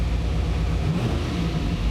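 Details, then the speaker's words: V8 after correcting ignition timing (it had been set from the wrong TDC marks on the balancer) by turning the distributor: deep full roar pulling up cleanly with no stumble, popping or misfire, idle needing to be turned down; normal revving. "yeah and now this thing is Rev right up got to turn the idle down"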